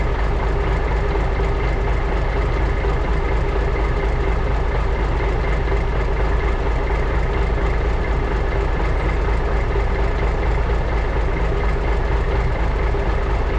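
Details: 1980s Marmon cabover semi with big-cam diesel, unrun about 18 years: deep, steady idle with even low rumble, no misses or knocks; fuel shutoff solenoid not working, oil pressure gauge stuck, probably faulty.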